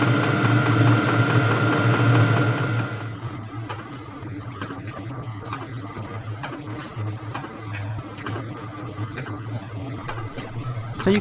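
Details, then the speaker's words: HCALORY HBH2 5L 8kW diesel heater, normal altitude mode at 81 m above sea level: loud start settling once warm into a quiet steady low hum with light regular fuel pump ticking; normal running. "you can hear once it heats up, it runs fairly quietly."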